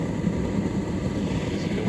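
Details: Street-found Indesit IDCE8450 condenser tumble dryer, after cleaning, running a load of towels: steady low hum of air blowing, exhaust underneath, no rubbing or rattling. Fan running normally.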